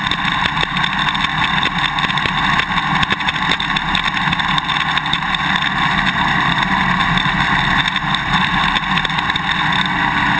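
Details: GoPro Hero 2 on a motorcycle swing arm while riding: sharp, irregular clicking ticks over engine and wind. The quick-release buckle is vibrating in the mounting bracket; fit the vibration plug and put tape or straws between bracket and buckle.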